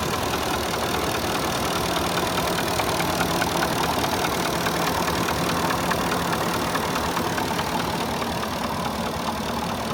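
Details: Porsche Cayenne 4.5 V8, warm engine at idle: a light, regular knock of roughly two beats a second under the idle. Piston slap.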